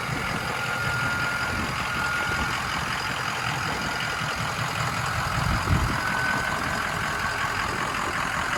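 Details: 6.0 Powerstroke King Ranch at idle after a KC Stage 2 10-blade VGT turbo install, during the relearn (about five minutes, two or three cycles): a thin high whistle comes and goes over the clatter as the vanes cycle. Normal idle with turbo whistle.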